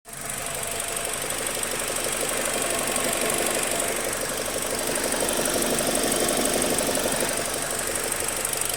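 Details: BMW 116i E87 with the engine warm: fast, steady ticking clatter around four per second over a thin hissy idle; abnormal engine noise when warm.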